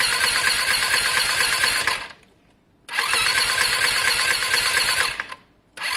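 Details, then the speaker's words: Lexmoto Diablo 125cc moped bought for parts, fully charged battery: fast even cranking in two bursts that never catches, "close to firing up"; oil found; crank no-start from low compression. "it doesn't sound the healthiest guys but it sounds close to firing up"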